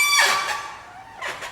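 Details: Can-Am Outlander/Renegade: two high creaky squeaks as the steering turns, from the non-greasable lower steering shaft bushing.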